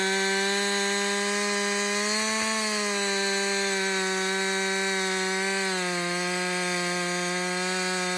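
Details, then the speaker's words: Husqvarna 562XP chainsaw after a dealer software reflash for dying when hot, stumbling and not starting: at full throttle a steady high buzz holds through the cut, sags slightly with load and recovers smoothly. First full tank; healthy. "so this is a real life scenario right we're cutting we're cutting yeah you keep working this is really the First full tank I've run through"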